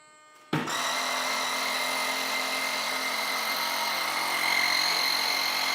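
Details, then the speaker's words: Onboard air compressor of a giant RC F-14 jet kicking on as the aircraft is powered up: silence, then a sudden, steady, high buzzing whine. Normal compressor operation. "So you're going to hear the compressor kick on most likely."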